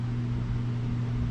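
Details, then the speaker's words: Stella scooter with non-working electric start, hard to kick, runs poorly; start attempted: starter engages with a rough, strained low drone instead of a clean spin; owner suspects the starter itself needs rebuilding. "that sounds weird [Music] yeah all right well that's not the relay that's the starter that sounds terrible so something tells me that starter needs to be rebuilt"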